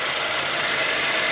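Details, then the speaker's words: 2007 Jetta 2.5 20v idling after new fuel filter with integrated 4-bar regulator, radiator flush additive and power steering fluid change: steady, even, calm idle with no misses or surges; normal, throttle body not yet cleaned. "beleza motor sereninho estável nada de vazam mentinho Por enquanto né"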